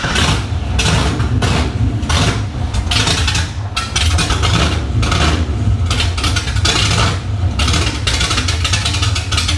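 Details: LS1 V8 swapped into a 240SX, first start attempt, open headers, needing security delete: keeps surging and sagging about every second, won't hold idle; owner hopes low fuel was the cause, unconfirmed.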